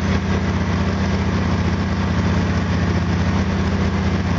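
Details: Small single (FG8) idling on an exhaust analyzer after spark plug gap increased 20%: even, steady low thump with no misses or stumbles; running smoothly with lower CO, hydrocarbons and CO2.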